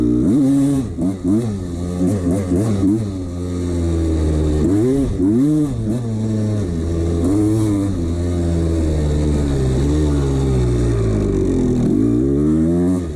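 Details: 1989 CR250 two-stroke revving up and down repeatedly with a tinny clatter riding on the blips; piston slap from a worn piston in the bore, ignored by the owner.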